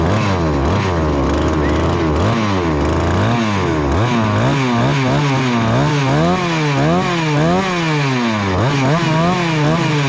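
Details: Husqvarna 288XP chainsaw, rebuilt with new cylinder and piston: screaming high revs surge up and down without settling or four-stroking; running dangerously lean, caught before the cylinder scored. Owner plans to pull the carburetor and check the fuel line.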